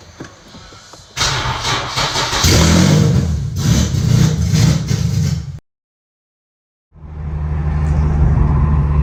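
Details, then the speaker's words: Boosted Infiniti G37 driven down the road after its power steering line blew on the highway: engine note stumbles and pops unevenly under load instead of running smooth, a severe misfire, cause not yet known. "I'll put a clip of it was like driving and misfiring really really bad just down the road"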